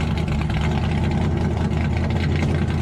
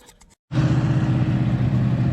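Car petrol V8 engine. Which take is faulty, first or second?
second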